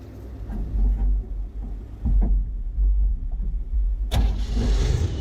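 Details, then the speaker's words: 1972 Chevrolet C10 shop truck, carb doubted, fuel tank unchecked: slow cranking thumps, then it fires over in one sharp burst on gas poured down the carb; fuel system still needs sorting, timing possibly slightly off. "all right as you can tell it just fired over so the only thing we have left to get straightened out is the fuel system"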